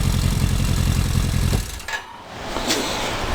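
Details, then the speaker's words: Rebuilt 1995 Kawasaki KZ1000P with CV carbs, at idle with no choke: revs hang for over a second after a throttle blip before dropping to idle, with some backfiring. Cause unknown. "when i gave it that blip you heard it kind of hang"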